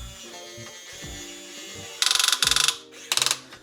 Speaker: Okay, so the clicking sound is not when you overextend the boom. It is when you uh put too much weight onto any of the components.